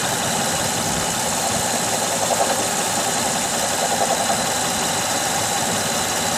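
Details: 2006 Honda Odyssey petrol V6 idling with a loose uneven knock under dense hissy engine noise; persists after replacing water pump, timing belt, tensioner, pulleys and power steering pump.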